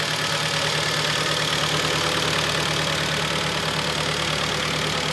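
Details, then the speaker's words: 2011 Kia Optima, G4KD 2.0 petrol, 127,000 km, idling: dull, fairly regular knock about three times a second under the hiss, piston slap from scuffed pistons, likely two or three pistons, not severe, louder when cold. "вот сейчас хорошо слышно поршнями ляга кля там не один поршень Судя по звуку там два-три минимум есть"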